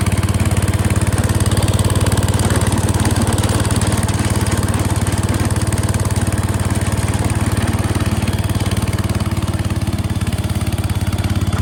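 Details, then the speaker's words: 1968 Case 155 garden tractor, revived and cleaned up, on a test drive: even single-cylinder chug at about three beats a second with no misses or knocks; engine running healthy. "okay guys got all the steel wool cleaning done we'll take it for a quick cruise and I'll take in the garage and show you how it turned out running"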